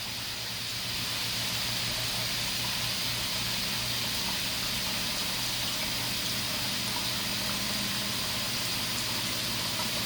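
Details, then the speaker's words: Panda spin dryer at full speed beside a Ninja model at the same rpm: steady loud high hiss and whir with faint low hum, far louder than the other unit; loud spin noise. "start both units at the same they're both speed they both has been exactly the same rpms but the londo tentative modern uses a little bit less electricity but as it can hear the Panda is much louder"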